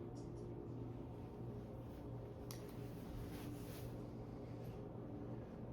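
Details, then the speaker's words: 42-inch Murray Feiss Island Breeze ceiling fan on high, steady low hum with an even airy rush, no rubbing, ticking or wobble; bearings good, no wobble, runs smoothly. "Bearings are good. No wobble whatsoever on this thing. And performance-wise, it's actually pretty pretty solid little performer for a 42-in fan."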